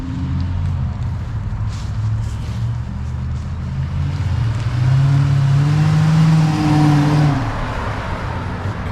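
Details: 2006 Dodge Magnum, warmed up, suitcase muffler replaced by two pass-through Magnaflows, rear mufflers retained: deep, even note swells smoothly on a rev and settles back, only slightly throaty with no rasp or drone; healthy exhaust.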